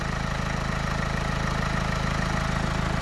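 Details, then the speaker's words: Renault Twingo 2 1.5 dCi diesel with replacement engine, idle after replacing faulty HP fuel pressure regulator: even, regular clatter, stable idle on all four cylinders, no bubbles in return line; previously unstable idle and stalling. "ralenti est devenu stable je vois pas de bu dans le le circuit pas de bu dans le circuit de retour"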